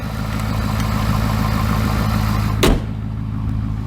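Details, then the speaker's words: 2017 Ford 6.7 Powerstroke diesel just restarted in snow after broken fuel return line barb fitting replaced and priming: steady even idle clatter, no misses or knocks, brief handling thump; no leaks, healthy. "to check for leaks [Music] i don't see anything leaking which is great sounds good"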